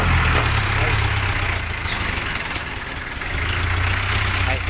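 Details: Isuzu 4BC2 diesel whose starter only clicked and would not crank, fault traced to a weak battery, not the starter; now started, steady low idle rumble, even and unbroken, no misses or knocks, normal idle.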